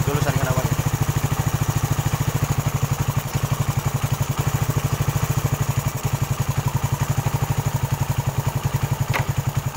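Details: Suzuki Satria FU 150 after rebuild with aftermarket KW cylinder block and valve shims: steady, even single-cylinder putter at a fast regular beat, no misses, knocks or rattles; idles healthy, earlier heavy smoking fixed.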